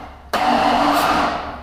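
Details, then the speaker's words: Rebuilt Ford 351 Windsor, with a hose in the number one spark plug hole while the engine is turned: a steady rush of air builds and fades as the piston comes up on compression, locating top dead centre for timing. "you can hear it come up on compression now what we're going to do is we're going to locate a timing mark"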